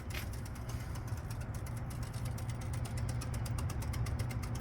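Rapid, steady train of sharp relay clicks over a low hum, the stepper running its full cycle normally.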